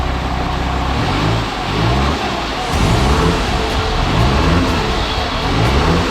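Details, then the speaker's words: Jeep Grand Cherokee WJ 2.7 CRD OM612 diesel, first start after a full rebuild, with slight black smoke: an even diesel clatter that climbs and settles as revs are blipped, with no knocks or misses. Normal running. "eventually this happened it runs it sounds good as well going to give it a little bit of a time"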